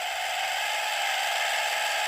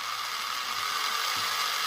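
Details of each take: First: FLY Renault 5 Turbo 1:32 slot car before the fix: a thin motor whine sags as it catches, then rises in two surges as it frees; the crown and pinion gears mesh too tightly and bind. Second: FLY Renault 5 Turbo slot car after grinding the gears in with toothpaste paste: smooth, even high-pitched whir with steady tone, no clatter or grinding; much quieter, normal running.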